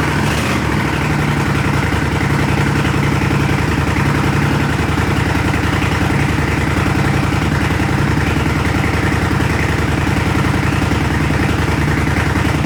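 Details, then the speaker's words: 1980 Honda CX500 twin cafe racer, freshly reassembled: very loud, deep, steady idle with an even low pulse on free-flowing mufflers, no misses or mechanical clatter; normal idle, just stupid loud. "well it's still a work in progress that's for sure all right well that's it that's what it sounds like freaking loud stupid loud"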